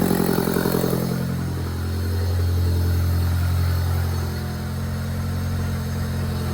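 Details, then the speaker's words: Honda Del Sol with freshly built turbo D16Z6, filter mounted straight on throttle body: low, lumpy idle with revs wavering up and down; owner suspects the intake setup is making it run rich, cause not confirmed. "Okay, I got the stock intake on because I think that might be messing with how rich the fuel is running. Uh because realistically it should be running really lean, not really rich."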